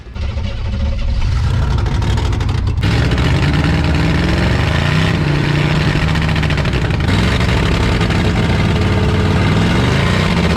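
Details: 1986 Chevy one-ton dually Silverado with swapped 6.2 L Detroit diesel, sitting 22 years, exhaust just unrestricted: loud uneven clatter with a lumpy beat, heavy white smoke, then idle creeps high like a runaway; rough running after long storage.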